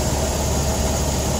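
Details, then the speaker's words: 1986 Toyota van wagon SR5 EFI, stock fuel-injected engine, 5-speed: steady, even, smooth idle with no knocking or misses; gears engage without grinding, doesn't overheat. "runs real good, smooth, as you can hear. No knocking, even the gears, they go all in, no grinding."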